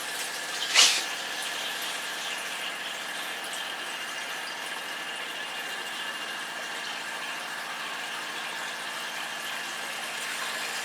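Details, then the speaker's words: Motorhome cold-water pump with an expansion vessel (accumulator), tap open. Steady high hum over rushing water, even and unbroken with no surging or cycling; the pump runs smoothly. "So the pump's running. I don't know if you can hear it or not."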